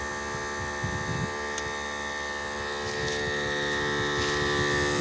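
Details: Harbor Freight 12V 150 PSI inflator compressor filling a flat tire, about 25 psi at two and a half minutes; even buzzing piston chatter near four beats a second with steady motor whine, running normally.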